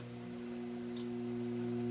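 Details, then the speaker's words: Vintage RCA MI-12182-A theater tube amplifier during bias adjustment (spec 28 mA per tube, no signal); steady low hum with clean tones rising as balance goes off; output tube bias imbalance hum. "you can actually hear it balance out because when you go a little far off a hum starts to develop here"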